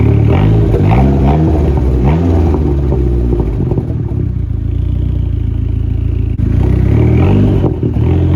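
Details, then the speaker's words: SRT4 after cleaning the throttle body, new gasket, replaced IAC, warming to temp: sharp throttle blips climb quickly but revs linger high before drifting slowly back to idle; owner found the vacuum leak. "But the car is idling fine. I can hit the gas. And I found my vacuum leak."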